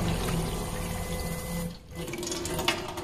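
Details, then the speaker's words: SEAFLO 56A variable-speed 5-chamber diaphragm water pump with faucet barely open: hum runs, cuts out briefly, restarts; rapid short cycling at low flow because the bypass valve on the pump nose is set too closed. "find ourselves cycling like this we can adjust the bypass valve to stop this cycling on the nose of the pump"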